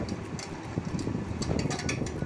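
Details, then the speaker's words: Ceiling fan running gives an uneven, rough rattling and rumbling noise instead of a quiet whoosh; fan is then opened for repair. "দেখলেন বন্ধুরা, এইভাবে যদি আপনাদের ফ্যানের শব্দ হয়ে থাকে, তাহলে সেই প্রবলেমটি আপনারা কীভাবে সলভ করবেন সেটাই নিয়ে আজকের ভিডিওটি।"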